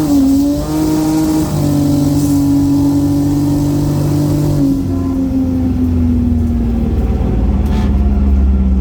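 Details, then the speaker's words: N54 engine with Precision 6466 single turbo, drag racing eliminations as boost comes in: hard-pulling steady drone that sags and loses pitch; misfiring, owner believes it went into limp mode. "now the eliminations i think i hit boost you can hear it's missing listen to this definitely in limp mode you have to check the logs"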